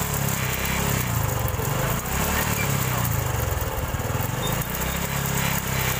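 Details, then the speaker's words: Honda Supra X 125 injection motorcycle: smooth at idle but around 3000 rpm a gritty, gravelly rattle like gravel mixed with sand from the left/magneto side; loose cam chain from a weak tensioner. "itu bunyinya pada saat langsam normal halus ya teman-teman tapi pada saat ketika buka gas sekitar di 3000 RPM itu langsung berbunyi seperti ada kerikil-keril bercampur pasir ya di bagian kiri atau di bagian magnet"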